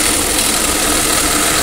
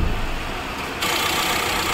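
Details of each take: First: Tata Safari (new version), noise from engine front after start, at idle: harsh steady rattling whir over the idle, pointing to a failed alternator clutch pulley with broken balls, fixed by replacing the pulley. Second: Tata Safari (new version) diesel, complaint of a loud noise from the engine front after starting: started for a check, it idles smooth and silent with no whine or rattle, pointing to the alternator as the noise source.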